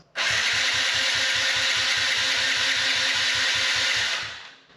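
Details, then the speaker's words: 2015 Yamaha TTR50 dirt bike, just fitted with a new spark plug: starter whirs with steady compression pulses, about two and a half a second, never fires; cranks, no start, cause not yet found, air filter next. "still no fire so we've crossed off two things on our list that leaves two more"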